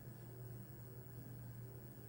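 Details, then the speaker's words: 2020 NordicTrack 1750 Commercial treadmill (ntl14129.9) after replacing roller bearings, running at 1 mph: low steady hum with no droning or grinding; loud drone was caused by worn roller bearings, motor alone was fine. "sounds quiet but you know nobody really goes at one M hour so let's pump it up to three and it's quiet looks like it was PR bearing"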